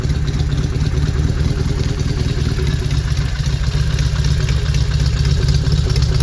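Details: 1971 Norton Commando 750 Roadster, matching numbers, off the road three decades, engine and gearbox overhauled, first start after refurbishment: deep, even parallel-twin idle with steady low thump and light valve clatter, no misses or hunting; healthy engine.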